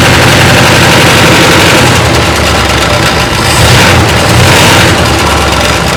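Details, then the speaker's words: 1962 Chrysler 361 big-block, recently revived after long storage, no oil pressure: uneven loping run with steady top-end clatter; owner suspects a stuck valve or no oil reaching the rocker arms. "might have a stuck valve or something I don't know I hope it doesn't have a freaking valve"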